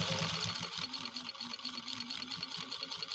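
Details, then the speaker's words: Restored 1949 Canadian Singer 15-91 with potted motor, sewing acrylic fiber and rubberized material at about 15–20 stitches per inch with more throttle. Fast, even stitching with a strong motor whir. The machine is working harder than on any earlier test but runs fine. "can you hear the machine working though it's actually working harder to execute the sewing on this acrylic fiber and rubberized material than it has on any other sew-off that we've done during this live stream"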